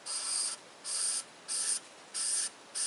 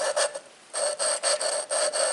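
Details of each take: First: Ford 201 diesel cylinder head from a 550 TLB, valve lapped after three rounds of compound. Soft, faint hissing strokes about every two-thirds of a second with no grit, as the compound has worn off. The seat is smooth and finished. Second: Ford 201 diesel cylinder head from a 550 TLB, valve being lapped by hand with grinding compound. Rhythmic, gritty back-and-forth rasping about two strokes a second. The valve seat is still rough and not yet lapped in.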